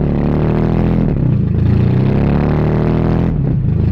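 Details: 1982 Toyota Celica Supra first running, fuel leaking at filler neck; loud wavering unsteady beat that sags and cuts out, takes gas but won't hold idle; owner wonders if timing is off.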